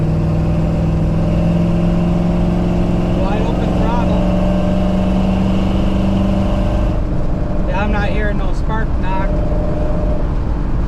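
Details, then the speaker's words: GMC pickup after replacing the old distributor to cure misfiring under load, on a road drive in 80s°F heat: steady engine drone pulling evenly at full throttle, pitch climbing slightly, good throttle response, no pinging or rattle. "quite a bit of pep in it throttle response feels really good"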